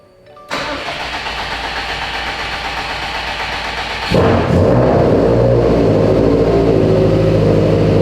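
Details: Subaru STI started after clearing a code suspected to come from the cam sensor, a solenoid, wiring or timing. It cranks quickly into a steady even idle with a clean rev rise; the code did not return, but the battery light is on with the alternator unplugged.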